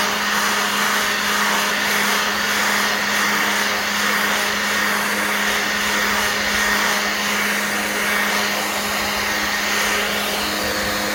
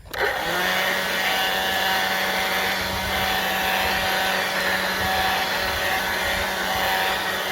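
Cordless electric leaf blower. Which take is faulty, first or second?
second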